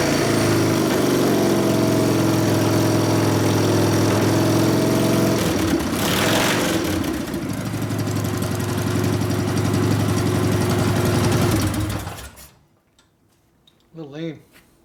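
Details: 1999 Harley 80ci Evo, rigid frame, first start after rewiring and repairs: uneven, stumbling, loping idle that struggles to stay running, then dies. Lean low-speed circuit; mixture screw 2.5 turns out, bigger low-speed jet needed, accelerator pump suspected not working.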